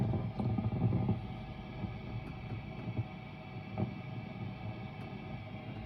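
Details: Mesa Boogie Dual Rectifier Multi-Watt amp: intermittent bacon-frying crackles and pops over low hum on all gain modes (raw, vintage, modern), not on clean channel; also pops switching channels; owner suspects failing resistor, tubes unchanged, of unknown age.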